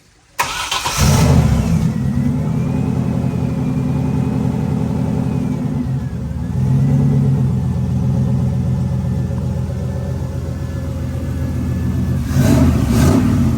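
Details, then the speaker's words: Essentially stock, resealed LS1 V8 (believed LQ9 cam) with turbo swapped into a BMW E46, started on a base map, boost not dialed in, intercooler piping unfinished: fires straight away, steady slightly lumpy idle, faint turbo whistle, plenty of vacuum; normal idle. "But the idle's fine. It has plenty of vacuum and idle for the boom or for the brakes."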